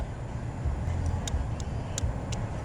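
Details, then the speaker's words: Hyundai Genesis Coupe after replacing the factory flasher with a plug-and-play LED flasher module to fix hyperblinking: crisp relay ticks in even on-off pairs at a steady, unhurried pace over a quiet car, normal turn signal flasher rate. "once you get it then you flash your module is going to immediately start clicky you can hear that clicking and that's it"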